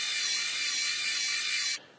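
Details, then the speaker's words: Homemade oil-filled worm-drive rudder servo gearbox driven by a brushless DC motor, held off the table, about 134 rpm output: thin high steady gear whine with a dry ratchety edge; gearbox sounds strained. "but my view is that the gearbox is sounding as if it's under strain um let me just lift it off the table the table is amplifying that sound"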